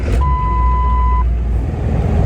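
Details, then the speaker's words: Ford 7.3 Powerstroke diesel cold start at 40°F the day after injector replacement: chime, then prompt firing into steady low rumble without stumbling; previously wouldn't start at 55°F; about 500 miles later runs smoother, starting issues gone. "but everything is running so much smoother so much better the starting issues have gone away"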